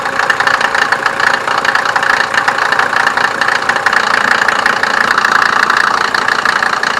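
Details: 1987 Mercedes 190D, OM602 2.5L five-cylinder turbo diesel: steady idle with even, rapid diesel knock and no hunting in speed; typical diesel idle, no specific fault heard.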